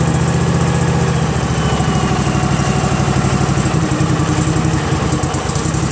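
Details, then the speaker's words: Craftsman GT6000 garden tractor repowered with a Briggs & Stratton Vanguard 16 hp horizontal-shaft engine, first run after install: steady even single-cylinder thump, no knocks or misses; it stopped when the black-wire kill switch was on; normal running. "yeah that sounds great doesn't yep that was the shutoff this black wire kill switch was on"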